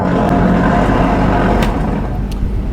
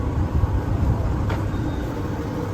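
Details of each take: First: Electrolux tumble dryer: constant rough grinding drone with a faint steady whine over the drum's rumble, no let-up; worn drum bearing, fixed by replacing it. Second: Electrolux tumble dryer after drum bearing replacement: low, even rumble with no knocking, squeal or scraping, drum turning smoothly and quietly; repaired bearing sounds healthy, normal drum operation.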